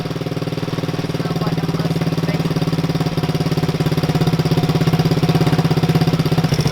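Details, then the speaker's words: Coleman CT200U mini bike with a swapped-in 110cc ATV engine, long-stored, jump-started on a dead battery: small single thumping at about 100 beats a minute, loping and uneven at first while clearing leftover oil, then idling nicely. "I'm sure it's going to run rough for a little while. This thing is set for a long time."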